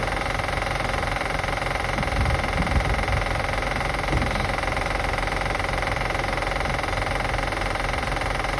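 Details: 2005 Acura TL after starting and running: steady idle with fast light ticking roughly three per second; engine clicking being assessed, source not pinned down.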